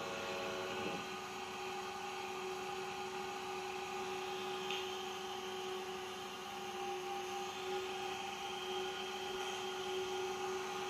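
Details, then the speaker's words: 115V AC industrial fan on a variac at its 115 V maximum, lifted off the floor: a smooth, even hum with a steady mid-pitched tone. No rubbing, ticking or wobble; it is working perfectly. "so it's working perfectly it's functional"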